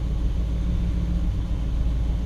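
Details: 1959 Chevrolet Bel Air 348 V8, first start of the 2019 season after sitting since October, warming up: deep, steady, even rumble with no knocks, misses or ticks; cranked right up and ran perfect.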